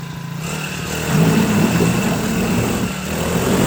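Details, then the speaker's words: Cheap Chinese 4-stroke outboard on its first water-test run for break-in: small engine putters steadily and picks up when revved, with no knock, misfire or rattle; normal running. "Okay, we're gonna start it up and run it. Let it run."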